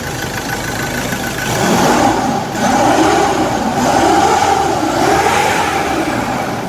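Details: Ford Everest 2016 2.2 diesel, towed in with a no-crank no-start, now started after repair: it revs up and settles several times, rising and falling smoothly and evenly with no misfire or knock; normal revving, runs healthy.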